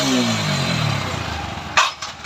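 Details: TVS 160 4V motorcycle after adjustment for a sound problem and lack of top speed: revs fall back smoothly to a steady idle with no rattle or misfire, then a few handling clicks; it sounds healthy.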